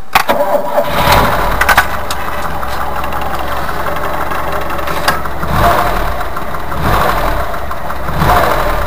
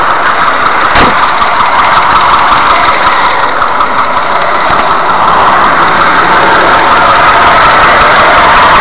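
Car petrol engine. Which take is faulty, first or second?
second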